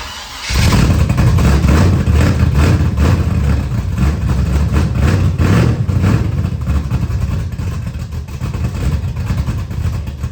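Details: 1979 Camaro, 355 V8 just reinstalled, carbureted, restart after timing read 20 degrees with a backfire and rough running: loud V8 catches with uneven, lumpy beat; measured air-fuel about 22.5:1, dead lean.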